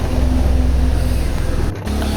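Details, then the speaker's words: LG semi-automatic washing machine after gearbox replacement for loud noise, pulsator fitted, run on timer without load: steady low drone with smooth, even hum, no grinding or clunking; previously very loud, now fixed. "चलने लगा। बहुत ही smoothly चल रहा है। कोई sound नहीं है इसमें। इसके पहले बहुत तेज साउंड आ रहा था।"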